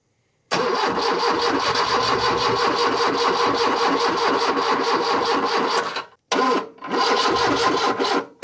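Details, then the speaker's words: 1978 Lada Niva, parked two years, after backfiring earlier: long steady cranking with even pulses for five seconds, nearly catching, then slowing and cutting out; weak battery, long crank without starting. "Ooh, it's getting very close now. Oh, I don't have a lot of power on the battery, so it needs to be now or not today."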